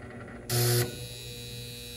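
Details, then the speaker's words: Goodman package unit, heat jumped out: sharp loud buzz snaps on over the loud transformer hum; the bottom heat-strip contactor coil is burnt and smoking. "that doesn't sound good at all when i do that something's wrong with one of them contactors or something oh you probably can't see the smoke but yeah that contactor look at that that coil is burnt on that contactor"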